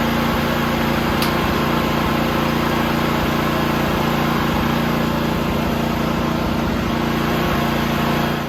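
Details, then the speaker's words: John Deere tractor with a newly fitted snowblower, belt engaged: the engine drones with a strained hum and uneven pulses about three per second because the belt tensioner was seized and had been forced by hand. "So the problem was that it was seized, so I forced it by hand. It took about 10 minutes of moving it back and forth, and as you can hear, she's not too happy."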